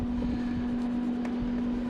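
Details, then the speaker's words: DeWalt 20V blower heater DXH70CFAV after a no-start fix, replacing the on/off switch LED board (part 27930): steady, even motor hum with a mid-pitched tone and no rattle or scrape. Blower fan runs normally. "so we got that working good I'm going to turn that off"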